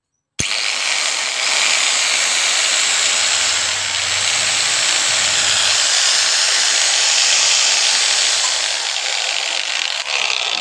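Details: Angle grinder (model 801, 600 W parts) after bearing and armature replacement, earlier sparking at carbon brushes and humming: spins up to a smooth, steady high whine, no rumble or bearing grinding; runs healthy after repair.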